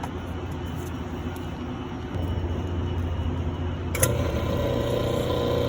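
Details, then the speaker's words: Firelake/Shenandoah waste oil furnace, new A2RA-7740 waste-oil pump being primed: steady low motor hum steps up after a couple of seconds, then a sharper tone joins as air clears and oil arrives; priming normally. "so he's got it on Prime we'll get air and then we should get oil yeah there it is"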